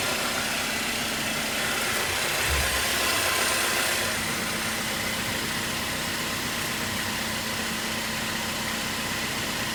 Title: Grinding noise 21 JLUR